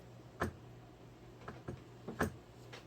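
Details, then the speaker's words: Golden Tee arcade board after botched CPU resolder, boot ROM fitted: sharp uneven clicks every half to one second over faint hum, status 2 light matching the resets; board reset-looping, no boot. "Okay, so status 2 light is corresponding. I know you can't see that, you're looking here, but the status 2 light is corresponding with the resets here."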